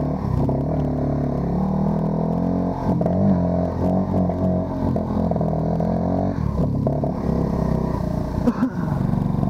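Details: ATC 90 small single-cylinder engine riding in first and second gear: runs unevenly, revs surging and stumbling instead of holding steady; timing advance is stuck, still being worked on.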